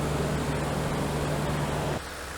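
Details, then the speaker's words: 2015 Toyota Tundra after fan clutch replacement, idling down; steady even idle, fan air rush fading, no squeaks or chirps; earlier chirps gone, truck runs nicely. "well, we are partially idled down and we have no squeaks, no chirps, just a nice running truck."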